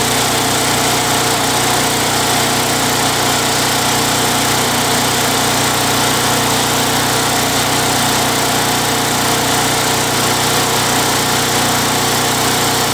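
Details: Craftsman Eager 1 mower, Tecumseh 92cc engine, bought non-running and dry, given a new recoil and fresh oil; surging treated with Mechanic in a Bottle, handle clamped. Now a steady, even drone with no hunting or surging; normal running, successful repair.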